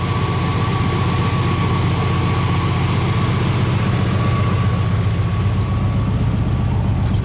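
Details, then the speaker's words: Straight-six after swapping Pertronix back to points set at about 22 thousandths, 10° initial timing, centrifugal and vacuum advance working: a steady, even low idle with no misses or knocks, seemingly smoother on points. "I don't know maybe it's just me but it seems to idle a little smoother with the points"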